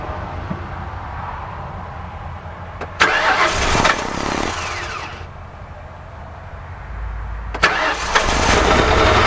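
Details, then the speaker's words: 2006 Crown Victoria Police Interceptor, microphone on top of the radiator; cranks and catches, then settles into an uneven, lumpy, wavering idle, engine shivering; rough idle. "I'm right at the catalytic converters. Now, it's running, but as you can see, the engine is shivering."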